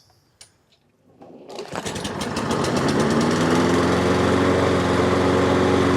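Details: Toro self-propelled mower after front-wheel drive belt replacement and blade reinstall: one pull, engine catches within a second and settles into a quick even beat with no knocks or misses; normal running.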